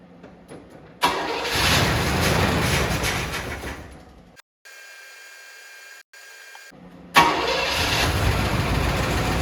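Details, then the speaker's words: 1979 Cadillac Brougham d'Elegance with a 425 cubic inch four-barrel V8, parked in a barn for years, new battery fitted: brief strong cranking catches quickly into a steady, even idle, then a second clean start; normal cranking and start. "I got the keys woo did you hear that she turned over no sweat with a new battery"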